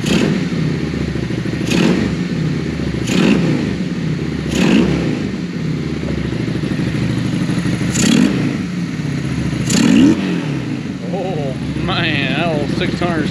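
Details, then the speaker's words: Honda Shadow VLX 600 V-twin after carburetor clean, which had been leaking fuel: low, even burble holding steady at idle with a few handling knocks; runs smooth and settled, to be warmed to operating temperature before idle adjustment. "that's when all the headaches become worth it right there you start it up and it sounds good"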